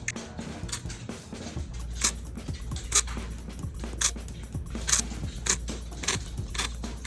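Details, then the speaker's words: iPhone XR with cracked back: short buzzy jangling rattles about once a second each time it vibrates, a "rattlesnake" noise blamed on the haptic engine; cheapest fix is disabling haptics in settings. Cause suspected, not confirmed. "the person that brought in the phone says that the phone makes a rattlesnake noise there's something wrong with the haptic engine"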